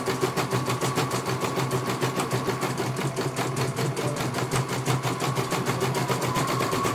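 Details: CNY computerized embroidery machine, serviced because its motor was silent and would not turn, on a stitching test. Fast, even needle-bar clacking at a steady rate, no knocks or grinding. It finishes one color and the technician calls it very good.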